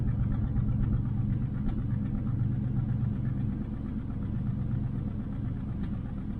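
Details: 1968 Nomad with side pipes: low, lumpy idle around two beats a second with a stumbling rhythm, one cylinder seemingly missing. The misfire dates from day one and clears at higher rpm; cause not found, compression test being done.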